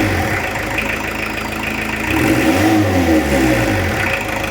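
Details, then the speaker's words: 1986 VW T25, 1.6 JX diesel, after an 8-year rest: settles into an even, steady clatter, takes a brief rev and returns without missing, blowing a bit of soot with no oil. Healthy. "Okay, so blowing a bit of soot out, but all good. There's no oil in there. It's well, very healthy considering it's had an 8-year rest."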